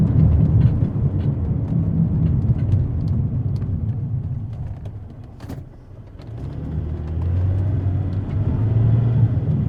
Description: This is what a bad wheel bearing sounds like. It has a whomping noise and will get louder and louder the more you drive on it.